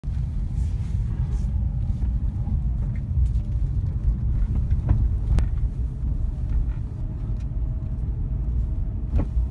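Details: Nissan 350Z driving: heavy road rumble broken by sharp knocks from the front centre/front near side; drop links already replaced to rule them out; front suspension knock.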